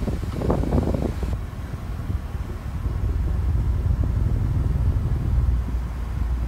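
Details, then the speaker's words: Duracraft pedestal fan after cleaning, running on low speed before oscillation: low, soft, even whoosh with no ticking, rattling or wobble after a brief handling bump; smooth and quiet normal running. "you can definitely like hear that it's pretty quiet"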